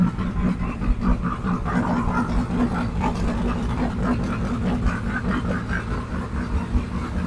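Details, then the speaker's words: 1967 Mustang fastback Shelby GT500 (real or clone) V8 at idle on first start for diagnosis, after another shop's work: rough, uneven idle with loping, stumbling beat and irregular pulses; valves out of adjustment, some at zero lash. "if it does you'll be able to see how badly it runs and I'm just going to listen around for any noises ticks anything along those lines"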